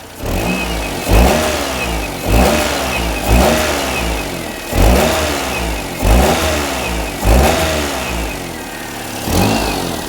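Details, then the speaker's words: Perodua Kenari whose exhaust front pipe came off, after re-tightening the joint ring: engine blips about once a second with a puffing chuff on each rev. Leak much reduced but still present; owner suspects a missing gasket or a wrong-size aftermarket exhaust. "It's nowhere near as bad as it was. It was chucking really bad. Yeah, there is still a bit but um there is still a lot in there."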